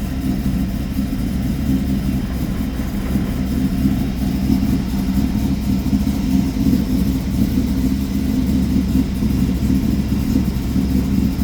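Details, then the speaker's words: Cold start of a 1995 Chevrolet Camaro Z28 LT1 with a 6-speed manual and about 38,500 miles, after sitting a few weeks; it settles into a deep, choppy lope from its performance camshaft. "We'll see if it does the same thing here after sitting for a while. You can hear that cam in there."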